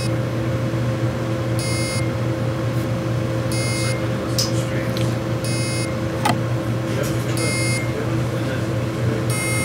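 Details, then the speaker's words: Seagate/LaCie Porsche Design 2.5-inch external hard drive: short high beeps about every two seconds over a low hum because heads are stuck on the platters, preventing them from spinning. "when it's beeping, that means the heads are stuck."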